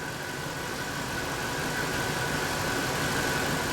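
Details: Ford F150 4.6L V8 with low poor idle and code P0402: steady even idle with no stumble or miss, faint constant whine in background; normal idle.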